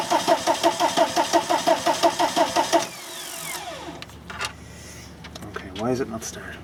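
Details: VW camper van with swapped TDI diesel engine and new harness, wired straight to the battery: starter spins evenly at about three compression beats a second for three seconds, never fires; immobilizer blocking the start.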